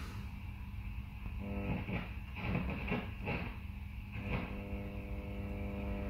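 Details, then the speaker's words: 100 W Mezzabarba Trinity guitar amp on the bench: a steady low buzzing hum swells once an oscilloscope ground clip adds a second ground reference, causing a ground loop from a faulty grounding scheme. "it's pretty obvious what's happening there right so as soon as this amp a second ground reference the amp goes into a ground loop situation okay"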